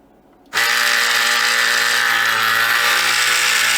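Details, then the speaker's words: Samsung Jet 90 Pet vacuum turbo brush with the very tight belt refitted into its socket: steady high whir with a harsh, buzzy whine. The drive is running roughly, cause unknown. "The belt is very tight. You can hear it going haywire here, but what's causing it?"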